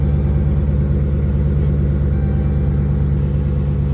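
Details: Dodge Charger idling after P0340 camshaft position sensor repair: sensor replaced, check engine light cleared and off; previously slow to start, now fires right up; smooth even low idle, no knocks, misses or whine.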